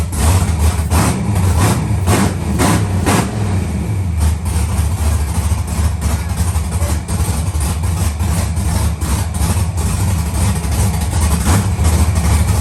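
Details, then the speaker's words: Rebuilt LS V8 in a Monte Carlo after first start, with some MAP sensors not yet hooked up: steady, even idle with a smooth low rumble and no knocks or misses; it responds on throttle and sounds healthy. "She sound healthy. The car hitting. She hitting on throttle."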